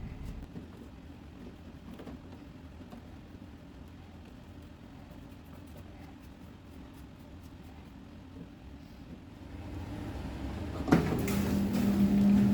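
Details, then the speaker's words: Drummond 1/3 hp Harbor Freight sump pump, newly installed replacing a 1/2 hp Wayne, lifting about 7 ft: near silence, then a click and soft steady low hum as it starts; very quiet, normal. "This pump, it activates quicker, so it doesn't have as much water in it, which is nice, and it is very, very quiet. You'll hear here once I plug it in, it makes almost no noise, which is awesome."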